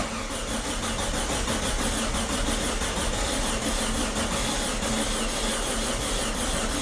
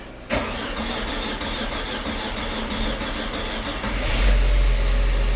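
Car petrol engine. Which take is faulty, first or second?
first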